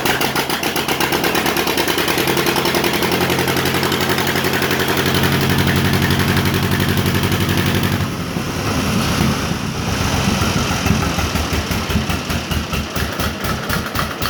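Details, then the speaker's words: 1950 John Deere Model M garden tractor in neutral: a slow, even two-cylinder pop-pop idle at about four firings a second, steady with no misses. A good-running engine. "i haven't run it much i just ran it enough to get over here in the shop but even when it's dead cold it cranks up just perfectly just like that right"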